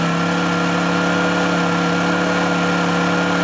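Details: Honda generator after a choke cold start: steady, even hum at constant pitch with no misses or knocks; normal idle.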